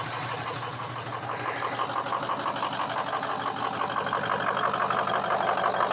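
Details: Diesel truck with suspected injector harness fault, restart: starts almost immediately, then idle stumbles and shakes unevenly before settling into a steadier beat, rough then smooth, repeatedly.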